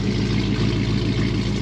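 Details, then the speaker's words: 2009 Jeep JK with swapped 6.4L 392 Hemi and 8HP70 transmission, idling after valve body computer replacement, before test drive. Deep, steady V8 idle with an even beat, no ticks or knocks; sounds healthy. "jeep is fired up you can hear it behind me"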